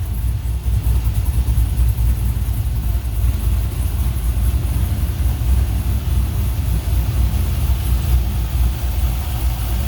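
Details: 1980 Chevrolet K10 with Summit 150153 LS crate motor, LS6 intake, Holley Terminator X, 1302 headers, Flowmaster FlowFX mufflers: deep, steady V8 rumble at hot idle, even and smooth with no misses, knocks or ticks; running normally, possibly slightly lean.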